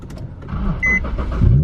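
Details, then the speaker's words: Infiniti G37 with 6-speed, starting again after being towed to the Infiniti dealership for a repair. A quick crank with a chime, then it catches and settles into a low, steady rumble; a clean, normal start. "it does feel good to hear that start again, though."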